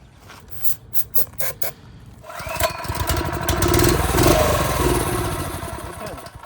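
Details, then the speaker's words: TrailMaster go-kart that won't start after sitting through winter, fuel on, air box pulled and brake cleaner sprayed in: a few cranking pulls, catches, runs seconds, dies. Spark confirmed; fuel-related problem, next checking fuel reaching the carb bowl. "so it's definitely a fuel-related problem. So now we're going to see if fuel is getting to the bowl by cracking the 10 mil on the bottom of the cart."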